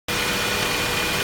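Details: Saab 9-5 Aero at idle with a faint, steady high whine over the engine hum. The service shop first suspected an oil filter in the sump; it turned out to be the water pump.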